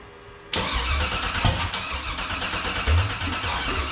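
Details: Factory Five 35 Hot Rod Truck V8, first start attempt after sitting dry for a long while; the starter cranks steadily for a few seconds with a few uneven puffs, but it never catches. Fuel pressure is in the high 50s.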